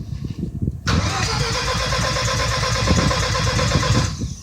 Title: Crank no start backfire